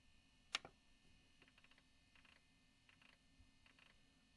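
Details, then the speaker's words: TASCAM 788 digital multitrack recorder, after recording for a while: faint, irregular little clicks in short clusters over a quiet room hum as the internal hard drive clicks during song playback. "I don't know if you can hear the clicking as it goes through the song. But yeah, the hard drive is making is making an interesting noise."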